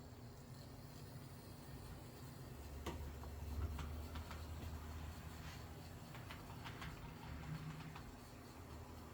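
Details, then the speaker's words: Rebuilt Intermountain F7B model locomotive running in reverse on track after rebuild: faint even motor hum with light rail clicks, no grinding or stutter; normal running. "I think he sounds good. Pretty good. He's actually really good now."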